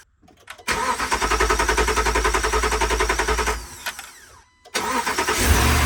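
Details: 2013 RAM 1500 5.7 HEMI V8 after replacing damaged pushrods and rocker arms that had been improperly installed after a cam and lifter job: quick crank, even idle, brief shutoff, clean restart, no ticking or knocking.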